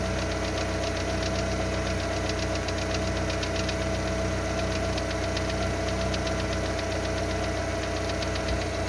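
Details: Lada Largus with 1.6 16-valve 129 engine after hydraulic lifter replacement, about 3 minutes after cold start: fast, light, evenly paced metallic valvetrain ticking over the idle; the knock goes when warm.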